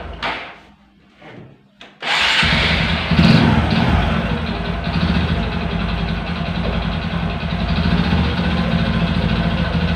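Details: Honda Supra 125 motorcycle with hard, rough shifting and weak power, after clutch adjustment: starts and idles with a rough, uneven knock underneath. The noise remains because the connecting rod and crank bearing housing are worn; needs an engine teardown.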